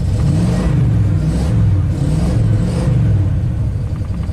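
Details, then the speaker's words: 1996 Ford F-250 with 7.5L big-block V8, freshly rebuilt after a head-gasket coolant leak (new pistons, rings, camshaft), which earlier ran super rich and lost compression after a cold start: lumpy, stumbling misfire under revving that breaks up as revs rise and fall. "right there misfire I'll let it idle again"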